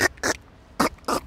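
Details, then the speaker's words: New Audi, body pushed down by hand near the strut: four short squeaky creaks, each about a tenth of a second; suspension creak, also heard when driving over speed bumps. "вот это не скрипит а если мы обойдём машину то уже опять скрипит слышите вот если прислушаться"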